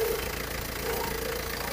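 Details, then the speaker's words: Isuzu Panther 2.3 diesel, about 1995, with brake complaint: idling with uneven knocking and rattling over the engine beat from the alternator-mounted vacuum pump (blower), which gives no suction; worn vacuum pump rotor. "ya jadi suara itu dihasilkan dari vakum blower alternatornya ini teman-teman nih"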